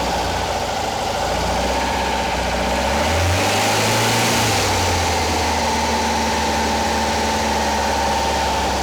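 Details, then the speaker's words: Porsche 912 flat-four engine fitted in a 911, rebuilt from a failed project, first start with ignition timing dialed back from about 38 to 31–32 degrees: even, steady fast idle with one brief rev rise and fall, no misses or knocks. "voila i am happy with it it's you know it's running it's running well enough now i got the timing dialed back it was up like 38 degrees"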